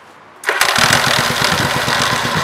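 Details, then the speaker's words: 1985 Yamaha Virago XV700 after fitting a voltage stabilizer to the ignition feed, weak battery: starter spins briefly with a barely touched button, engine catches cleanly into quick, even firing; normal start. "improve man did you hurt I just barely touched the button I need to just like wide straightaway"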